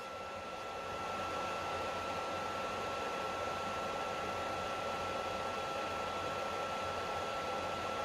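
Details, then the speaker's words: Overheating PS3 console cooling fan: steady airflow rush with a thin, constant high whine, strange abnormal fan noise; fan to be replaced. "but this fan look it makes some strange background noise so"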